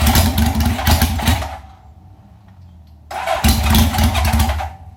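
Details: 1971 Honda 750 four in a 1968 frame, cold start on choke after 15 years in storage, carbs just rebuilt: fires up with uneven popping and revs, dips to a lumpy idle, then catches again strongly; starts and runs fine.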